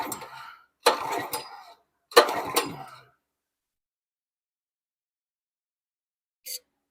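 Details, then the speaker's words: Simpson pressure washer with a Honda GX270 engine, carburetor replaced because the old one poured fuel, oil black: three rough pull-starts about a second apart, each dying away; still won't run, spark about to be checked. "We knew the carburetor was leaking, so we put a new carburetor on there just to eliminate that. But it's still not wanting to run."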